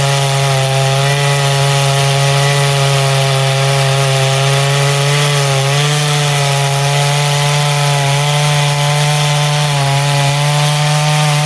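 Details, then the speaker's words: Poulan 5200 chainsaw, test cut in wood: steady high buzzing note holds firm as the chain bites, no bogging or sputter; normal cutting under load. "But when I get back together, you'll see in about 2 seconds, I'll have a couple test cuts with it, play with it, get a listen to it idle."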